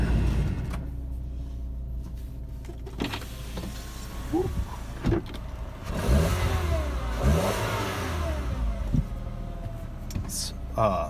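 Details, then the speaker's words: 2003 VW Beetle Cabriolet, 2.0 four-cylinder, 127,000 miles: settles into even hum, revs cleanly and drops back with no misses, knocks or vibration; runs smooth and healthy. "course Volkswagens ancient two-liter four-cylinder but it runs as smooth as silk no vibration"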